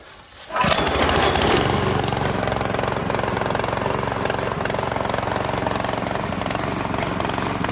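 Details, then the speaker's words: Italian-made Workman 2 cement mixer with Honda GX160, about 15 years of use, on choke and unloaded: runs fast, slightly uneven and lumpy; owner says it bogs and spits under load. "so yeah it's uh kind of running decent right now but there is no cement in there and as soon as you put a load on it that's when it'll really start bogg and spitting"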